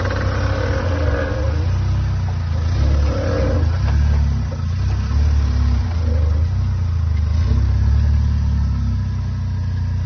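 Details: 65-plate Vauxhall Astra J VXR, pulling off with steering slightly turned: low engine pull with intermittent creaks and knocks every couple of seconds; CV joints and steering pump replaced without effect, cured by changing the gearbox oil.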